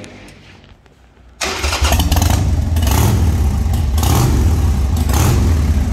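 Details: Restored 1995 Harley-Davidson Sportster 1200 fired up after a full service with new tires and suspension: starter whirs briefly, then the V-twin catches and settles into a deep, loping, uneven-fired idle with a few throttle blips. Healthy start.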